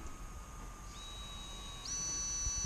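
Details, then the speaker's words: Rakon 66 quad with new motors, motor 1 spun up from Betaflight motors tab on battery: clean high whine stepping up in pitch, pure and steady with no rattles or roughness; smoother than old motors, healthy. "These ones are a lot smoother than the old version. You can hear it too. They're just nice and smooth."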